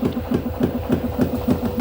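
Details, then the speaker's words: LG F-1220TD washing machine over 10 years old: regular heavy thumps about four per second with a low droning hum, the drum bouncing; knocking from failed drum bearings, repaired by replacing the bearings and seal. "якийсь такий появився стук отака причина барабан аж підскакує після такого стуку правильній машині"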